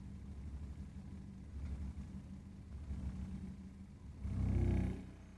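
Deep, uneven rumble that swells louder for about a second near the end while the burner runs, a sign of unstable combustion.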